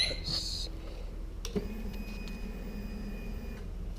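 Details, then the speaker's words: 2009 Harley-Davidson Rocker C (FXCWC) after winter storage, battery 12.9 V on charger; faint steady whir for about two seconds then stops, a normal fuel pump prime, though starter only clicks; starter solenoid or relay suspected. "And the problem is we hear the fuel pump. We hear everything's doing its things."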